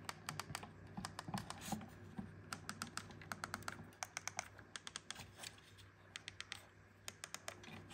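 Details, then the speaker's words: 2011 Porsche Cayenne Turbo (958) center console buttons reassembled with the board held firmly: crisp, distinct detent clicks, though the up detent only registers when held tight; the screws must hold the board tightly. "And I can hear the detents for both of them now. I get the down, but not the up unless I'm holding it all the way up tight."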